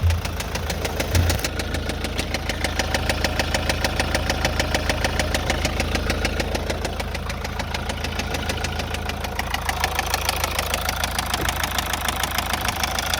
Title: MAZDA 6 2.2D SKYACTIVE knocking sounds???